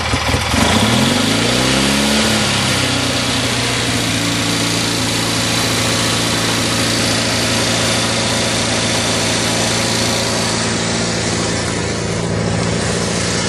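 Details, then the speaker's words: Craftsman GT6000 mower, Kohler V-twin with new fuel pump and rebuilt carb, governor not hooked up: engine catches and holds a high steady roar, never dropping to idle, a sizzling sound heard; overspeeding, owner fears head gasket. "I probably should look into hooking up the governor before I blow a head gasket. Hear it sizzling. That is one smooth running lawnmower."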